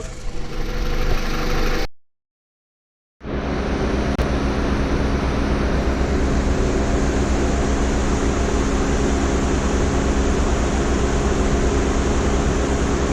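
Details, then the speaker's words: 2002 Toyota Camry after head gasket repair (head resurfaced 0.010 in, loose head bolts found, water pump earlier replaced): smooth, steady idle with no misses, hunting or hiss. It runs perfectly now, with the upstream O2 sensor suspected fouled by coolant; brake-cleaner test suggested no vacuum leak. "so that upst screen old two sensor shot thing runs perfect now"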